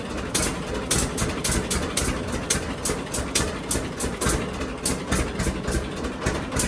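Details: John Deere D two-cylinder tractor idling before spark plug regap, Autolite plugs of unknown gap that should be 0.030 in; slow thump with uneven gaps and dropped beats, a misfire at idle.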